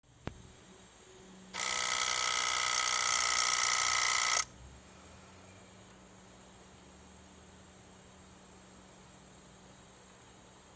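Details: Lexus RX400h hybrid SUV parked, a few minutes after shut-off: two loud, harsh electrical buzzes, each about three seconds long.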